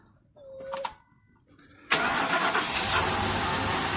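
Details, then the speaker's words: Truck after new fuel filter fitted (air and spark already ruled out, starting fluid test pointed to fuel): brief crank, engine catches cleanly and runs steady and even; normal start, rough running fixed. "There we go. Ruled out the air, ruled out spark, there's the fuel. Replace the most likely thing, the fuel filter, and it's fixed."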